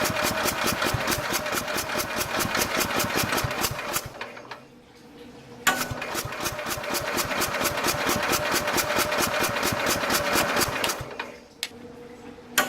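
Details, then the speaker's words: 1969 Bolens 850 tractor, Wisconsin S8D 8¼ hp engine, warm just after running: starter churns about four seconds, pauses, then five more without catching; prolonged cranking on hot restart, something still wrong, cause unknown. "See, it's having a hell of a time starting again. It shouldn't have that much of a problem starting after it just ran. So something's definitely still wrong with this thing."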